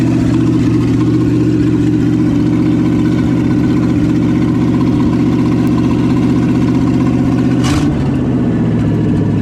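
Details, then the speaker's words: 1972 Chevy K20 4x4 V8, first start after sitting 15 years, no exhaust pipe fitted, new manifolds with oil burning off; steady even idle with smooth low burble, no knocks or misses: healthy idle. "probably just oil burning off of the new manifolds yeah sounds good could use a little bit of a exhaust pipe though"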